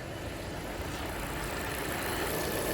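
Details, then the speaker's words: 2017 Volvo V40 2.0 petrol engine after PCV valve and side breather valve replacement, just started: even, steady idle with soft low rumble, no squeal or hunting, only light suction at oil cap; normal idle. "See, it's idling nice and even straight away."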